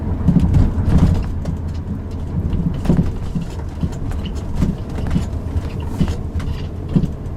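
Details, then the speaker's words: Driving a 2007 Subaru Outback over bumps, with the microphone in the rear, gives dull clunks and a squeak over road rumble. The left rear upper strut mount had come apart, and the mount was replaced. "yeah I don't know if you heard that or not but there was kind of a knocking and sort of a squeaking that went along with it sounds like rubber bushing like that's failed"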